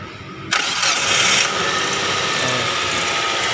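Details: Hyundai Trajet after fuel pump replacement and refueling: brief crank catches at once and settles into a steady, even idle with no misfire or stumble; clean, healthy start.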